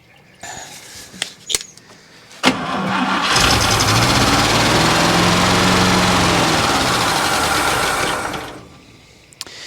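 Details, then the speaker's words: 1964 International service truck, first start after sitting, fed by an electric fuel pump on a switch with about a gallon of gas in the tank: cranks, catches and holds a fast, even idle well above normal before shutting off. "a real high idle too"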